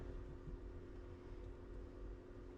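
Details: 2017 Ram ProMaster City Tradesman, coolant around 154°F: steady low roar of the radiator fan running flat out with key off; radiator fan high relay latched, fan stuck on high.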